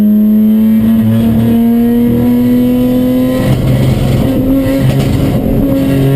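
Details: Chumpcar race car on track at Watkins Glen, where the misfire began midday Saturday. The engine stumbles unevenly under load, with ragged, irregular breaks in the drone instead of a clean pull: misfire, cause unknown.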